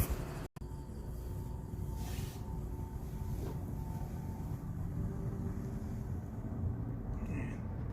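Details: Amana PTAC unit that squeaked each time the blower wheel stopped, after reseating the plastic part so the blower motor shaft sits correctly: low, steady blower rumble with a faint hum fading evenly, no squeak as it stops.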